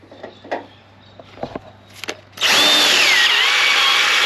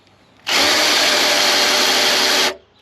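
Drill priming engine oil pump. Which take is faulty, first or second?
first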